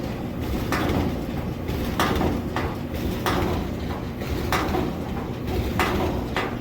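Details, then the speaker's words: Roper RED4516FW0 dryer after belt replacement: drum rumbles round evenly with a soft thump about every second and a quarter, belt driving it, damp sock inside; normal drum rotation. "I was giving a little Shake a little shimmy it sounds like it's turning"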